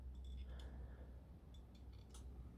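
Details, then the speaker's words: Suzuki motorcycle, stand down, in gear: a few faint sharp ticks as the side stand drops slightly, the kickstand safety switch clicking and tripping into fault mode, dash showing check; a weak stand spring can trigger it and kill the bike. "Now if the spring is faulty and this drops down a bit, as you can see, I'm not moving it a lot, it will kick it into a fault mode for that system and it will kill the bike."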